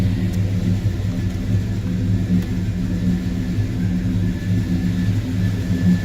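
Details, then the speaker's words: 1972 Monte Carlo V8 with old Quadrajet carburetor, warm (not cold start): steady even low rumble, no knocks, misses or surging; normal warm idle. "is not a cold start I will leave a lot to you all they say there's a co-starter does not start that easy on the first try trust me it still has the old Quadrajet carburetor on"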